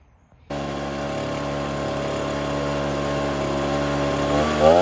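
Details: Ryobi BP42 backpack blower (two-stroke) after replacing gummed-up carburetor, air filter, fuel filter, primer bulb and fuel lines; running while the nearest mixture screw is turned with a Pac-Man tool: steady buzz that wavers, then climbs; still rough during tuning.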